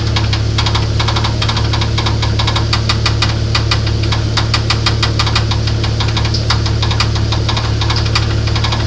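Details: Internal engine knock on a 1994 Grand, 4-litre engine, at idle: heavy, fairly even knocking about three raps per second over a deep engine rumble; cause unclear.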